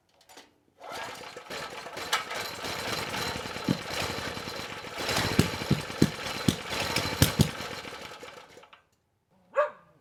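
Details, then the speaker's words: Coleman Powermate Pulse 1850 generator's small single-cylinder engine, about 23 years old, after carburetor repair. A steady even buzz with a few knocks from handling; normal running, engine sounds good. "so it's doing pretty well and the engine sounds good so i think it'll run for quite a bit longer"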